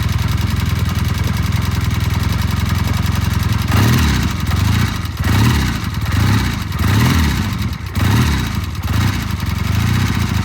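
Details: Vintage Triumph twin, oil-in-frame five-speed, after cleaning E15-clogged pilot jets on both carburetors: steady even low idle thump with a few gentle blips; runs smooth and clean.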